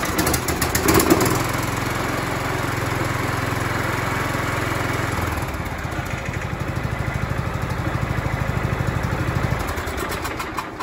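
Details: John Deere L110 with single-cylinder Kohler Command engine, in for no-start traced to sheared flywheel key: steady, even idle beat with no popping or missing, settling to a slightly different speed midway; running normally.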